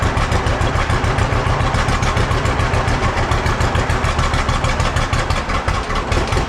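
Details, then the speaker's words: Old John Deere B tractor just started after carburetor float check and radiator hose replacement: low loping idle thump with slightly uneven beats; runs a little rough, owner wants it evened out. "well the old John Deere V don't run too bad however I didn't need to work on the carburetor and it seems you want to run just a little bit rough got to get that evened out"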